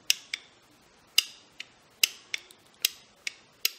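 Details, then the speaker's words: 1911 bull barrel being fitted to a 2011 competition gun: sharp, light metallic clicks about once a second as the slide cycles, the top of the fitted barrel hood clicking past. This is normal and correct, and needs no filing. "can hear it clicking in and out and that clicking is what you want it's the don't don't be scared you don't need to file that off"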